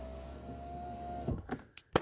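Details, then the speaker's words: 2010 Ford Fusion door after passenger side-view mirror replacement: a smooth, even motor whine at steady pitch runs to the end of travel, then stops with a soft clunk. The power window works properly. "last thing we gotta check window control so let's go back over and beautiful we have all the way up and we have all the way down"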